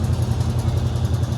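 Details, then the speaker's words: 1986 Chevrolet C10 Suburban small-block Chevy V8 of unknown age and mileage at idle: deep lumpy idle with quick light tick keeping pace with the engine; suspected lifter tick, possibly sticky lifter, with broken exhaust manifold also rattling. "somebody would say hey this has got a lifter taking it you hear that lifter tick"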